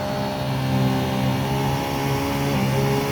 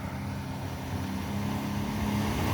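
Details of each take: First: 2012 Sea-Doo Challenger with the supercharged 4-TEC engine, brought to the rev limiter at about 8,000 rpm: a high, steady note with a faintly shifting whine as thrust drops off. The jet pump is cavitating. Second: 2012 Sea-Doo Challenger with the supercharged 4-TEC engine, after the bent driveshaft behind its cavitation was found: a deep roar climbing smoothly to 6,000 rpm with no knock or rattle. Strong thrust not seen since the previous owner; normal high-rev run.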